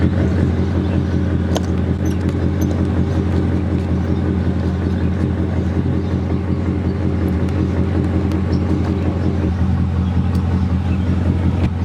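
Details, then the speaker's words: 1999 Mercedes E55 AMG with a misfire, checked after a junkyard coil pack 4 turned out not to fit: even, steady engine note under light load with no skips, and no misfire felt while reversing out; the owner wonders whether the wires went bad. "So, it doesn't feel like it's misfire and reversing out."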